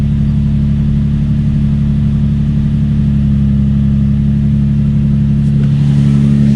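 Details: Nissan 350Z/G35 VQ35DE after idler pulley delete with rerouted 6PK1145 main belt, couple of revs to check for squeak: smooth even idle, light revs, no squeak or chirp from belts; normal idle.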